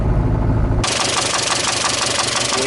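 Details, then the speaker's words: Mitsubishi Galant starting up: hard regular knock about five per second over the idle, clunking, engine dies instantly when shut off; suspected loose or failing bottom-end bearing, not confirmed; engine knock. "bottom end related that is a bad sound ... that sounded really really bad its got that clunk to it"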